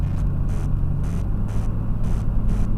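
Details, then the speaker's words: Chevy Blazer 4.3L V6 at idle, oil pressure about 40 psi: deep steady rumble with a light knock about twice a second; doesn't sound metal-on-metal, flexplate doubted, cause still unknown. "it doesn't really sound like it's a metal-on-metal so I'm not really thinking it's a flex play"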